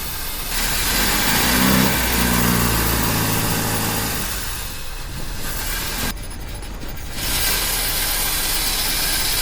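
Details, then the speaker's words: 1976 Toyota Hilux Chinook camper with a 20R engine, revived after sitting for years, idling; a light, fast metallic rattle over the running note. Owner suspects the timing chain is hitting something; not confirmed. "That's a timing chain hitting against the wall of something. That's exactly what it sounds like to me."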